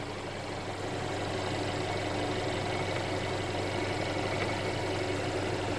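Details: Mercedes CLA after a DIY oil change with Mobil 1 0W-40 and OEM filter, while the engine cover is pushed back on: steady, even idle with a smooth low hum and no knocks or rattles; normal, healthy idle.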